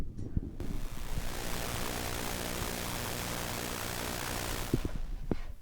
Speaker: For those of you that don't know what EMI or RFI is or what it sounds like, it's really annoying to listen to, and this usually happens when microphones, receive external signals that they shouldn't be receiving.